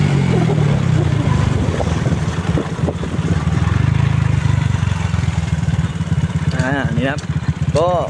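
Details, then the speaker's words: Motorcycle with an N-Pro carburetor tuned with a 32 air jet and 120 fuel jet, ridden on light throttle: a deep, even single-cylinder exhaust note picks up cleanly with no stumble or bog; carburetion is correct. "ติดมือนะครับอ่าไม่ไม่วอดไม่วูบนะครับ"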